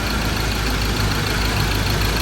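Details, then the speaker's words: Ford Ranger 2.2 diesel after no-start repair with injector work, now fitted with a top sound-deadening pad: even, steady idle with a smooth low rumble, no knock or misfire, quieter than the day before; healthy. "ตอนนี้เราจ่ายแผ่นซับเสียงก็ไปแล้วครับเห็นเครื่องยนต์เงียบลงนะเมื่อวานดังกว่านี้แล้วพอเราสักพักนึงก็เข้าที่เข้าทางแล้วนะ"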